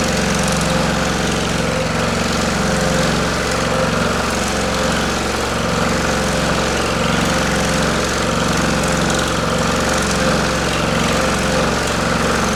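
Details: Pullmax-style machine with plastic thumbnail shrinking dies on its finest hit setting: steady fast rattling ram hammer at an even rate over constant motor hum; running normally.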